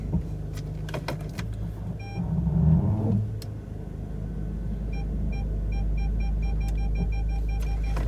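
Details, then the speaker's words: Audi A4 after fitting secondhand reversing sensor and cleaning rear lamp clusters; idling, placed in reverse, clean evenly spaced high beeps continue, parking sensors working normally. "and then if i place it into reverse and then you can hear the sensor"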